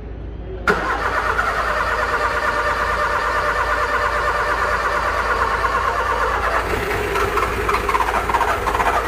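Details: Car engine on key start: fast irregular tec-tec ticking, about three per second, under a steady drone as the key is held; the engine never catches. Clicking on crank, no start, cause unconfirmed.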